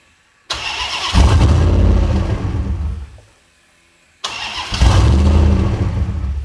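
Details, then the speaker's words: Twin-charged Hemi Magnum's first start after a year-long build, with exhaust cutouts closed; it catches with a loud lumpy burble, runs rough for a couple of seconds, then dies each time; it barely runs. "it starts it starts it doesn't run not well but it does start and it gives me a baseline to work o"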